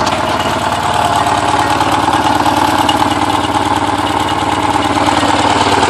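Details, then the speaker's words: Porsche 944 started after over ten years sitting; timing belt tensioner pulley fell off in 2005, bending all exhaust valves. Uneven, stumbling idle with irregular chuffs and a ragged beat, runs rough: misfire from bent valves. "Well, that sounds terrible. Well, that's probably enough for now."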